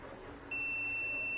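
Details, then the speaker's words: Kevler amplifier with distorted sound: multimeter continuity test on a jumper wire bridging a broken trace, steady high beep starting half a second in and holding unbroken; circuit now closed. "mga Master makikita niyo yan yan makikita niyo may tunog na na binibigay o sound ibig sabihin nakatawid na"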